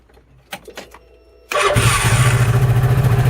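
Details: 2013 CF Moto Z Force 6 with a no-start traced to the fuel pump, not the starter solenoid; a few clicks, then it fires at once and settles into a quick, even idle with no misses.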